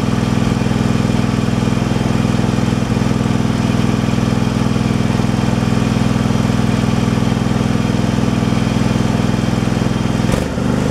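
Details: Craftsman Pro mower single-cylinder engine with a new carburetor fitted to fix surging and rough running: smooth, steady idle with no surging.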